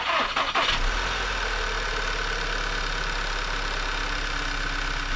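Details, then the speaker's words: 2013 VW Tiguan 2.0 TSI, first start after an aftermarket turbo V-band clamp replaced the failed clamp (turbo left in place) and a fresh oil change: quick catch, brief rev flare, quiet even idle, no exhaust puffing or ticking; exhaust much quieter than when bought. "The exhaust sounds much quieter from when we first got this thing."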